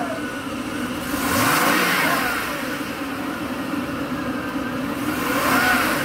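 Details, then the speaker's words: Mercedes-Benz S500 W140: revs dip a couple hundred rpm when throttle is pressed, sagging on two quick blips; owner suspects failing catalytic converter restricting exhaust, with rotten-egg sulfur smell; otherwise runs great. "when you get on it drops a couple hundred RPM I'll do it again without making it go down"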